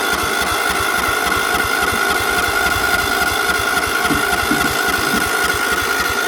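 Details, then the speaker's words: Battery kept on solar charge: steady cranking at three to four pulses a second, never fires; gas smelled, owner blames a misadjusted governor linkage, carb solenoid only briefly engaging, suspected electrical issue. Crank, no start. "so yeah i do smell gas but like i said this thing is a bit of a bugger the linkage on the governor's actually um screwed up on it a bit so this that's why it doesn't want to start"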